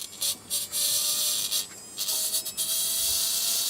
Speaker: Okay, press play. Hear the primary squealing